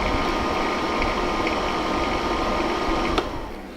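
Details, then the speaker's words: Honeywell ionizing HEPA room air cleaner used as a bedroom white-noise maker: a loose, uneven rattle about three or four times a second over the fan rush, keeping people awake; owner suspects fan imbalance; caused by dusty fan shafts and dry bearings. "But it's got another problem. It rattles. It rattles something fierce. And makes it so that people can't sleep."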